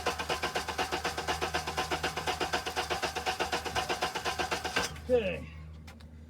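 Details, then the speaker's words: Honda engine cranking with cylinder one intake valve lash set too tight: chugs about two beats per second, with one uneven beat per cycle, then stops. "is ex a very tight intake valve on cylinder one so let's analyze that"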